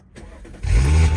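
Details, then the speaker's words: Audi SQ5 after a TTE810 hybrid turbo, RS injectors, 4 bar MAP sensors and tune: brief crank, then a steady, even low rumble with a normal direct-injection tick; a healthy start. "engine seems to be running really happy as you can hear just a normal tick which is completely normal for a direct injection motor"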